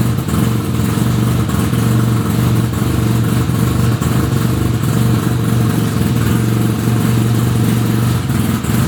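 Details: 1975 Suzuki RE5 rotary motorcycle just after full restoration, engine running: steady low drone with faint clattery rattle; transmission noise, cause not yet clear.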